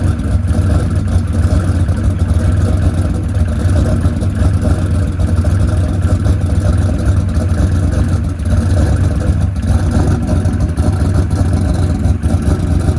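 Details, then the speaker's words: Ford Coyote V8 with 107mm turbo and lock-up converter, injector setting changed to 850s at 9 psi fuel: loud deep uneven idle with irregular pops; running lean, causing lean popping. "all right so we got that thing it was running a little bit lean lean popping go ahead and crank it back up Donald"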